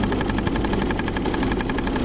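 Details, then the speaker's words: 2000 Saturn L300 3.0L V6 at idle after a timing belt job: fast, even knocking about nine per second; a wobbling power steering pump pulley is knocking. "you hear that noise that sounds like that's coming from the third pulley on that could be developing something"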